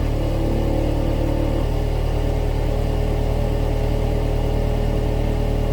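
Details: 2016 Subaru Outback four-cylinder, about 80,000 miles, warmed up, phone under the rear driver side, low idle in drive or reverse. A buzzy metallic rattle on the exhaust drone. Owner suspects a failed spot weld on a baffle inside the muffler; heat shields are ruled out.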